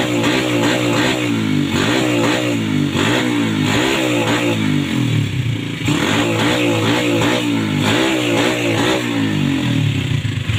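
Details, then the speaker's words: 2007 Yamaha Vega R single revving unevenly with stumbling, coughing dips and weak pickup before service; carbon-fouled spark plug causing misfires and unstable running. "Kalau businya ngupil, motor jadi tidak stabil guys."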